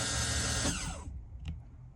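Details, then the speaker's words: 2003 Bayliner 215 Bowrider stern-drive power trim pump, trimming down from trailer-up position, which sounds different from trimming up: a steady electric whine for about a second, then a clean cutoff click; normal trim pump. "So down. You see it has a different sound. You can actually hear it when you're underway."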